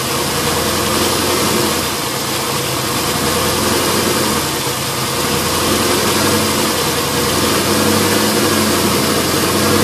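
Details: LS1 V8 with new intake manifold, headers and AIR/EGR delete idles with an uneven, loping beat and faint airy hiss; rough idle caused by a vacuum leak from a fitting left open after removing AIR/EGR parts.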